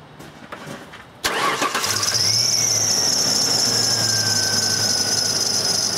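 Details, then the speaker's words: 2001 Ford Ranger 3.0L with P0340 cam sensor fault, at startup: right after catching, a shrill squeal sweeps down in pitch and settles as revs drop, alongside a noisy fan; serpentine belt squeal at startup. "starting the truck you'll have have to ignore the noisy fan for a second or the fan"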